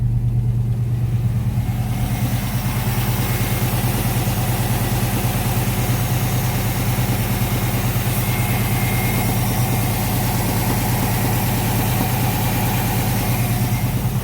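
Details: Ford Capri V8, warmed up, idling around 1000 rpm with very low oil pressure at idle: a steady, deep knock under the low rumble. Suspected rod knock from a spun bearing; a loose water pump was ruled out.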